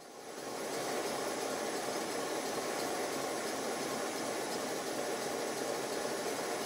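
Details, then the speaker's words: 5-inch gauge GWR 14XX model steam locomotive on first steam test with a gas burner: beats slightly uneven while pumping, then the bypass valve opens returning water to the tank; steady hissing, even beat with the pump unloaded. "you can hear in this clip that the beats are slightly uneven now watch and listen in this clip as I open the bypass valve to let the water back to the tank"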